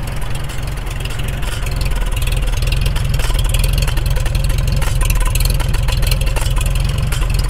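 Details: Freshly restored 1942 Farmall H tractor, muffler just fitted, carb roughly tuned, engine still breaking in and not fully hot: steady low putter about three and a half beats per second, slightly uneven; idling acceptably, still settling in.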